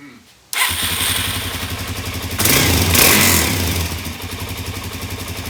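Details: 2017 Suzuki DR-Z400S, stored with fuel left in carb, carb primed: single thumps into a ragged idle that surges and sags; lean running from a partly blocked slow jet.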